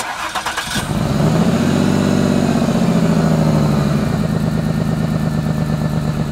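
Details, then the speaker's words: Jaguar: the engine cranks, fires and settles into a loud, raspy, puffing idle from a rust-caused exhaust leak, with fumes getting into the cabin; the exhaust needs replacing. "you could hear how bad this exhaust sounds not only is this embarrassing to drive around but the fumes are getting into the car into the cabin and they are dangerous to breathe in"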